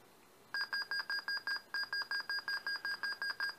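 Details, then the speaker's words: Dell Inspiron 6000 laptop (2006, Pentium M 1.73 GHz) after a coffee or tea spill cleanup and CMOS battery replacement: a rapid string of short high beeps at POST, usually indicating a keyboard fault such as a stuck key. "but that kind of BP BP beep right at post usually means there's the issue with the keyboard itself"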